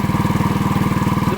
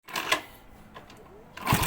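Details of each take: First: Yamaha Vega ZR after replacing the timing chain, which was loose and causing a rattle; even, steady idle thump with no chatter on the chain side, the rattle gone; normal idle. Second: Yamaha Vega ZR running: fast, light metallic rattle over the firing beat, busier with revs, from a slack cam chain, possibly from a worn chain guide or tensioner.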